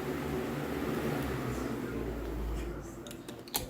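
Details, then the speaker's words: Anderson ceiling fan running on high speed: a steady low hum with a constant droning whir, louder than it should be. Loud motor noise at high speed, cause unclear. "all right here's the Anderson this one is really loud on high"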